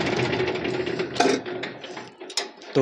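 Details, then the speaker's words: Swaraj FE tractor diesel idling after tappet setting with the tappet cover refitted: even tick-over, valve train quiet. The earlier "tar-tar" tapping caused by a loose tappet is gone; normal idle. "मैंने तो उसकी आवाज़ थी जो पहले उसमें टर-टर की आवाज़ थी ना वो बिल्कुल गायब देख सकते हैं दोस्तों इसका पूरा फायरिंग चेंज हो गया कुछ नहीं है"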